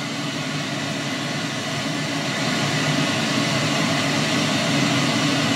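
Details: HMV Stereomaster 2328 amplifier, about 1970s, on its own speakers: steady rushing hiss with faint low hum on one channel; transistors suspected, to be replaced, not confirmed.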